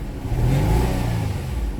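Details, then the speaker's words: 2009 Nissan Maxima 3.5 with a misfire and no codes: misfires on snap throttle down low but clears up when revved around 3,000 rpm, slightly rough uneven rumble; suspected arcing. "Snap throttle, misfire, rev it up around 3,000, clear up. Yeah, you know what this is. This gotta be an arcing condition all day."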